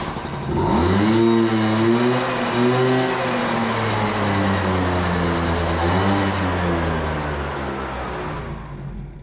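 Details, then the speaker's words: Moped small engine, float-bowl carburettor: on throttle the revs surge unevenly, rising then sagging and stumbling instead of climbing cleanly; a lean air bog from too much air and not enough fuel, so the carburettor needs cleaning. "Before it was bogging down, I'd pull the throttle and it go And that's the sound of a air bog, too much air, not enough fuel."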